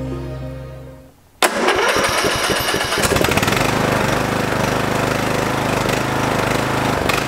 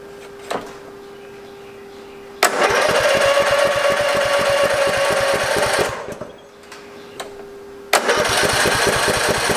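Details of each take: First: Free Craftsman lawn tractor that had sat unused since 2017, after cleaning and a new spark plug and fuel filter. It catches after a few cranks and settles to a lower, even idle with an occasional miss, possibly a failing ignition coil; running much better. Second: Free Craftsman lawn tractor, unused since 2017, recently fueled: two long bursts of steady starter cranking that never catch, fuel starved; the fuel shutoff solenoid plunger was found totally stuck.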